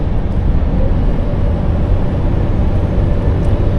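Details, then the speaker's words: Truck cruising loaded at about 40 tons: steady, deep low-pitched drone holds unchanged under load; persistent cab boom of unknown cause. "And this droning noise again, it's about to send me up the wall, this thing."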